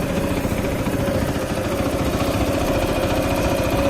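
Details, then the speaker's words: Motorcycle idling at about 1700–1900 rpm instead of the specified 1500, with loud ticking; owner suspects valves again need adjusting; idle speed too high. "idling a little bit higher than it's supposed to it's idling like you know around 1800 1900 maybe even admit it drops down a little bit to seventeen hundred in between there it's it's supposed to be at fifteen hundred is what the idling is supposed to be"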